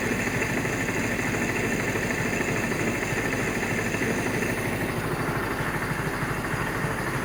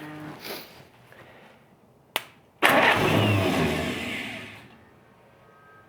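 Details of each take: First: 1947 Willys CJ-2A four-cylinder running for the first time in 30 years: fairly steady but slightly lumpy idle; runs pretty well, but ignition timing needs a small adjustment. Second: 1947 Willys CJ-2A, low-compression engine unrun for 30 years after soaking cylinders in Mystery Oil: catches with a sudden roar, runs unevenly about two seconds, then fades; old engine firing up.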